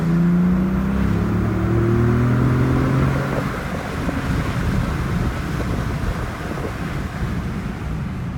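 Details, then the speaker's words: 2018 Ford Raptor first run just after a DIY aFe install: strong rev then easing off, low engine growl with an airy rush on top as boost builds, turbos slightly more audible; runs clean and healthy. "You can hear the turbos a little more."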